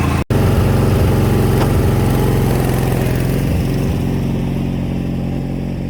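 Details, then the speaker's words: 1987 Craftsman GT18 lawn tractor engine after tune-up: small single runs steady and even but slightly fast; rpm set a bit high, to be lowered at the governor spring before test-cutting grass. "i gotta turn the rpms down a little bit there's a spring up there i gotta turn down"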